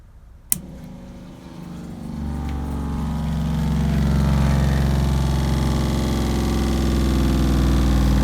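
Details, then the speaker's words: RV water pump, after repositioning Camco water-heater bypass valves for winterizing: click, then steady electric hum firming as it pressurizes and shuts off; normal operation, though a small drip was later found at the disturbed inlet. "doesn't sound great it does work so it was pressurizing and it's shutoff which is perfect"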